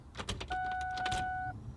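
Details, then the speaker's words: 1999–2004 Mustang GT just after a fuel filter replacement, with the fuel pump fuse put back. Key on: a few clicks, then an even whir for about a second. Normal fuel pump prime. "Once you put the fuel filter back in, remember to put your fuse back in the right place. Come back to your car, prime the fuel pump."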